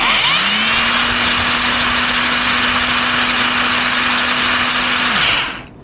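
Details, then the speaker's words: Used Makita 18 V cordless rotary hammer motor after magnets were reglued, tested opened up: spins up fast to a steady even high whine, holds without wavering or crackle, winds down cleanly; runs smoothly with no brush sparking. "есть работает вообще замечательно, плавно, ровно, искрений нету, это уже хорошо."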